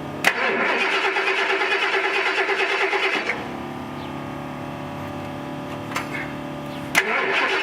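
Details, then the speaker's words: 1979 Ford Bronco's old engine with a carburetor: catches, runs rough for three seconds, sags to a weak stumbling idle, is cranked again and won't stay running; no knocking. Owner suspects it may be running out of gas, or that it needs a rebuilt carburetor. "Motor's good though. I mean, it's old and will probably stall, but it's good. At least it's not knocking"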